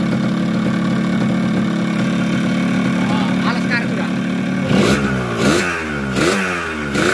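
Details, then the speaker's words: Yamaha RX King, bought with a very rough engine, fitted with a 125Z head; idling after teardown with new conrod and block and crankcase corners ground so the magneto spins freely. Smooth, even two-stroke idle with clean free-revving blips, no knocks; normal idle. "nah ini bunyi bagus"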